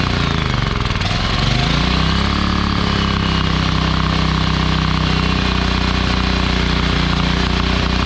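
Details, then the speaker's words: Wen 7000-running/8750-starting watt generator, bought as non-running, started on starting fluid with stale gasoline and a suspected gummed carburetor: catches and climbs to a hard, steady high drone, overrevving; cause not confirmed. "I noticed it was it was revving pretty good it shouldn't be running that hard"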